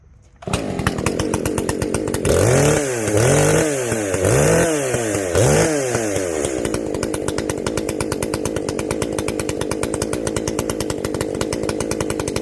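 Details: Echo CS-590 chainsaw after the carb mod (limiters removed, high and low jets richened) and an opened-up exhaust: crisp, clean throttle blips, then a steady idle with no bogging or four-stroking. It runs well and not hot.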